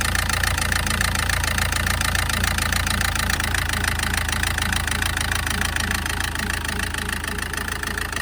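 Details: SsangYong diesel at idle: sharp, regular clatter about three knocks per second, louder than normal; diesel knock, suspected from faulty injectors during an injector test.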